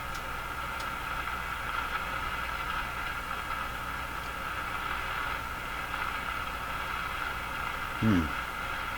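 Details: Crosley G2465 two-band tube radio after replacing the last paper capacitors, tuned to a station with the ground disconnected: steady low mains hum under faint background noise in the output; cause suspected, not confirmed.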